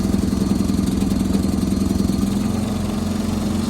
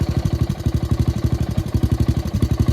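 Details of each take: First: John Deere 214 garden tractor with a 14 hp engine, started on choke after sitting in tall grass: quick even thump from the small single settling into a steady clean idle without misses; normal running. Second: Gravely tractor engine left idling to run its tank dry: low thumping idle with uneven beats and occasional dropped pulses, missing as it runs out of gas; misfire from fuel starvation.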